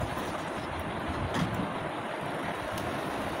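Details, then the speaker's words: AC/DC charger fan that would not run on DC, switch bypassed by shorting line, green light on: steady whir and airflow rush, no rattle; fan runs normally, fault traced to damaged switch. "সবুজ বাতি জ্বলতেছে এবং fan কিন্তু চলতেছে। তো ব্যাটারির মাধ্যমে কিন্তু এখন এই সুইচের কারণে সমস্যাটা হচ্ছে।"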